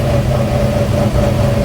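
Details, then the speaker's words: 1957 Chevy with 327 and 4-speed: steady mid-pitched whine over the V8 rumble in third gear from straight-cut gears in the transmission. "we'll go put some gas in your third gear sounds like third gear"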